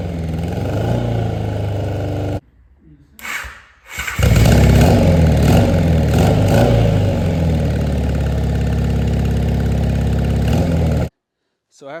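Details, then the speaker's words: 1983 Honda Nighthawk 650, sitting since 1987, after new plugs: starter whirs briefly, engine catches, revs and settles into a steady even idle; first successful start. "cranking and cranking yesterday, we finally had a successful first start."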